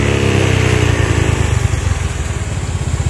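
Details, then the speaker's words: Older Honda Vario scooter on a test ride at speed: uneven, choppy, stuttering pulse instead of smooth pull; ignition system suspected, to be checked along with charging system; engine stutter / misfire at high rpm. "Nah ini teman-teman teman-teman bisa dengar ya suaranya nendut-endutan Suaranya tersendat begitu ya teman-teman"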